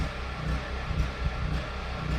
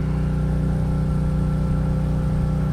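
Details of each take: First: Duromax generator under household load (refrigerator, microwave, window air conditioner) grunting as it runs out of gas: low uneven rumble sagging about twice a second until it quits; engine surging from fuel starvation. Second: Duromax generator running heavy household load (refrigerator, microwave, well pump); steady governed drone sags and turns rough and lumpy as the well pump kicks in, but it keeps running and copes fine; normal running under heavy load.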